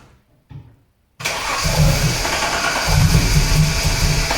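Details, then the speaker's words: TVR 290 S on MS2 with Ford TFI black CCD module, distributor-triggered ignition, first start: cranks and catches, then runs lumpy and uneven with stumbling beats; rough running because ignition timing is out. "it's definitely out of time"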